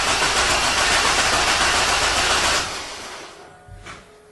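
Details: 1999 Chevy Blazer 4.3L Vortec V6, about 178,000 miles, with P0305 misfire: engine cranks about 2.5 seconds on a weak battery with even, steady rhythm during compression test; about 140 psi, compression healthy.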